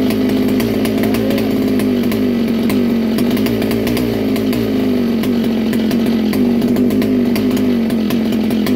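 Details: Original 1961 Fox vintage kart with McCulloch Mac 91 two-stroke, first start in years: raspy, buzzy high-pitched note, slightly wavering, running evenly with no knocks or rattles; normal running.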